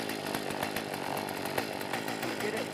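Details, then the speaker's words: Warm Poulan chainsaw (eBay, new bar and chain) at idle: uneven, stumbling pops and ticks instead of a steady burble; rough idle, with the fix suggested as opening the low adjustment counterclockwise about an eighth of a turn; mixture suspected. "doesn't want to save money if it still doesn't sound like it's running quite right no one here go into your low adjustment and open that up a little bit"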